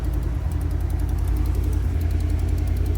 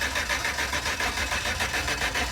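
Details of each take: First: 2010 GMC Savana V8 van, after a crank no-start traced to a likely broken wire from ECM to relay; even steady idle with a light regular tick of three to four per second, valve or exhaust tick considered normal. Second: 2010 GMC Savana van with cut wires underneath; even starter cranking that never fires, crank no-start with no spark confirmed on test.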